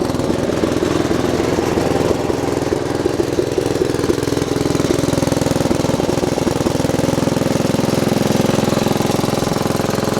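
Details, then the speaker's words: Bush Hog D4-10 diesel tractor after a batch of repairs, started in neutral: starts right up and runs at a steady, even rhythm with no belt squeal this time; normal running (long-standing oil leak). "started right up this time no squealing of the bow"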